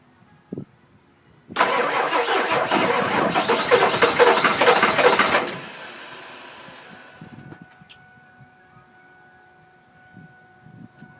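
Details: 2000 Ford F250 7.3 diesel, 208k miles, everything under the valve covers new except the injectors, new cam position sensor: starter cranks steadily for about four seconds but never fires; crank, no start, owner suspects injectors.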